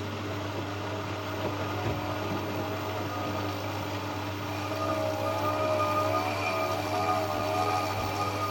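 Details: Siemens WM14W690FF washer, IQdrive motor: steady low hum, then a wavering whine that rises and sags; spin accelerates 1–2 seconds then cuts out in a loop, no error code, drain pump working; motor louder than usual, cause unclear.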